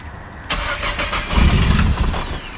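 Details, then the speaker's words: 2018 Nissan GT-R, roughly 1000hp, first start after injector replacement and fuel priming: short crank, then catches cleanly and settles into a smooth, even idle with no knocks or misses. Healthy start. "Like a regular GTR."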